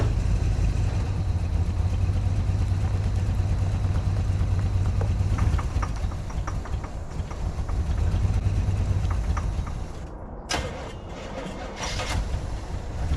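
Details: 1986 Chevy G20 van started after sitting five years, warming up, charging 13.65 volts; heavy low uneven idle rumble with faint irregular puffing ticks; an exhaust leak on one side is suspected, not confirmed.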